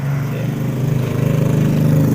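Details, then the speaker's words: Carbureted Honda Beat scooter whose battery, starter clutch and starter motor all test normal: with the ignition on, the starter only makes a weak "jeg jeg" buzzing churn and never spins the engine over. The fault is traced to the CDI. "Mas Bro ya Yang jelas ini adalah permasalahnya pada CDI nih Masbro"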